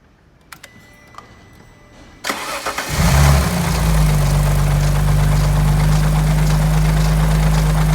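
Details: Alfa Romeo 147 GTA V6 24V, cold start first thing in the morning: loud idle with persistent low drone from the engine front, absent when warm and fading as it warms; serious-sounding cold noise, cause under diagnosis.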